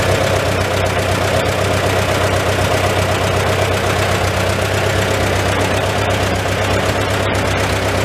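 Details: Old Farmall tractor four-cylinder with an often-rebuilt, finicky updraft carburetor, idling in a tight, smoky shed; steady, even tick-over, no misses or knocks. Normal idle, running pretty good.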